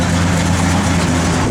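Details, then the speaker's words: 1967 Oldsmobile 442, 455 ci V8, Holley dual-feed 4-barrel, Edelbrock intake, Flowmaster dual exhaust, warming up at idle: deep, slightly uneven loping rumble from the cam, steady; normal healthy idle with cam lope. "As it warms up there, you hear that cam lobing a little bit."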